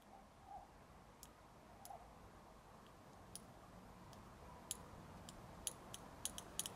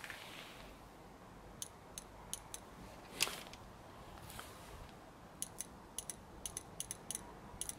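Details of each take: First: BMW E30 petrol injector, suspected stuck open and flooding fuel, pulsed with voltage: at first it barely responds, then faint sharp ticks grow quicker and crisper as the sticking injector frees up. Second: BMW E30 petrol injector, previously stuck open and flooding fuel, after it was tapped and pulsed with voltage: crisp sharp clicks in short irregular bursts on the bench, now opening cleanly each pulse.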